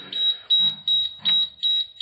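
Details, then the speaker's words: Diesel school bus at key-on with air at about thirty psi: sharp, high beeps repeat about three times a second as the low air pressure warning sounds until the compressor builds full air; the wait-to-start light isn't working. "all right so here we go I'm gonna put the key in I can see it kind of hard to do on camera and we'll turn it there's that obnoxious beeping"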